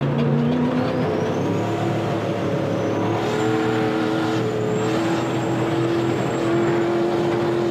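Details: Turbocharged 1951 dually truck with a V8 that was not running right. A loud, high-revving run with an uneven, stumbling note under boost: misfiring, likely from two dead cylinders with melted pistons.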